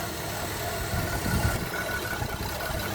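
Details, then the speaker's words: 2010 Chevrolet Traverse at idle after timing chain replacement, new spark plugs, valve cover gaskets, oil change and torque mount: lumpy, uneven idle with irregular low thumps, bad misfire, no check engine light, cause unknown. "Uhoh. It's misfiring real bad."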